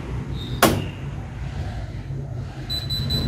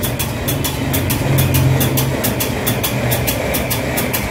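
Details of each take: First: Electrolux EWF85743 washing machine that won't wash: the door lock clicks repeatedly, then three quick high beeps over a low hum as it immediately shows error E40, a door lock fault. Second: Electrolux washing machine after repairing door lock fault E40: steady low motor hum with light even ticking three to four times a second; machine now running normally.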